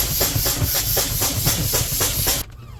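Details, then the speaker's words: Freightliner semi truck before replacing a leaking low-air-pressure brake switch valve under the dash: loud pulsing hiss of escaping air for over two seconds, then cut off, as the air system is deliberately bled down from the cab rather than at the tanks. "I would suggest going straight to the tank it's always good to drain your air but I'm just going to go ahead and do it this way"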